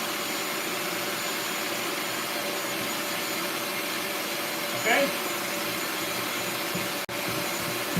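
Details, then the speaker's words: Bissell Lift-Off carpet shampooer during a suction test while spraying: steady, even high-pitched motor roar with no surging, rattles or dropouts. A spray problem was first suspected, but suction is working and the motor is healthy. "Here we go. All right, so the suction is working."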